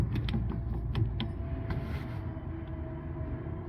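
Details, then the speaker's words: Golf cart right rear wheel, cart not moving: irregular clicks and creaks over a low rumble as the hub turns; hub not engaging the axle, axle shaft possibly cracked, wheel wobbling. "what is happening is the Hub um is not engaging with the axle"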